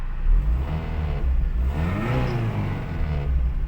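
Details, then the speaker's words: 2009 petrol engine after Liqui Moly hydraulic lifter additive and six hours of sitting: revs up and settles back evenly, lifter ticking almost gone. "пацаны нет ни фига не конец видео короче время шесть часов сил в тачку а звук гидриков почти пропал пацаны она постояла короче видимо масло перемешалось"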